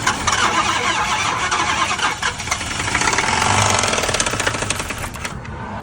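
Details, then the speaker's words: Car engine with damaged valve seat causing compression leak in a cylinder: uneven stumbling run with irregular puffs and loping beat, like a failing spark plug; misfire. "Si un asiento está dañado, existe fuga de compresión por algún cilindro y al momento de que funciona el carro se puede sentir como cuando falla alguna bujía."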